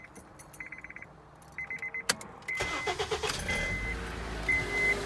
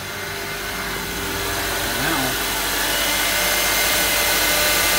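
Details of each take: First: Honda Accord 2.4 with a high-output alternator (2 in pulley instead of 2.5 in) still running the stock-length serpentine belt: chimes, then a quick flapping slap as the belt buckles at start-up. The fix is a shorter Gates K070714 belt. Loose serpentine belt slapping. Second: Honda Accord 2.4 with high-output alternator (2in pulley vs stock 2.5in), start after fitting shorter Gates K070714 serpentine belt: smooth idle, steady hum, no chirp, slap or squeal; much better.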